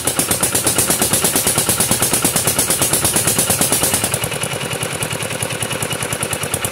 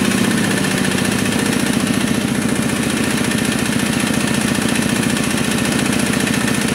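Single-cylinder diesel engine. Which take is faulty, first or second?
second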